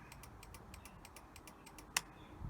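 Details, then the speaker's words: Barn-find 1984 Honda V65 Magna VF1100C, first start after storage: flasher relay clicks quickly, about six ticks a second, but the indicator lamps stay dark; indicators need sorting out. "but the rest of it isn't doing anything so yeah we've got to sort the indicators out"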